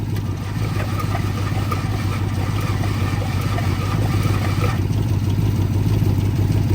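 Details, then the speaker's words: 2006 Ford Escape that sat locked up over two years, freed about 10 rotations and spitting oil: the starter turns it over slowly with a steady low whir, pulsing about three times a second, no firing. "see if it'll spin over with the starter now that we know it's freed up yeah spin it over like a little"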